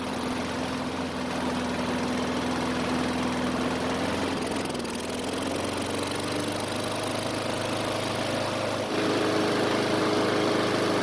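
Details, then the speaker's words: Husqvarna mower single-cylinder engine run on the bench after new carb fitted (mower had trouble starting cold): steady idle stumbles with a hiccup, then changes note with a thin hiss as oil sprays from the uncapped emissions breather tube; cause unknown. "so that was very unexpected I Was preparing to replace the air filter when the engine sort of had a hiccup and then started to spray oil from the emissions tube"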